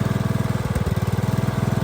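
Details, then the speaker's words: Craftsman DLS 3500 riding mower, likely a 46 in deck, test run after fixing the deck pulley and belt. A smooth, even putter with no rattle or squeal from the deck; it sounds much better. "I don't know if you can tell but that sounds a whole lot better sounds like a smoke"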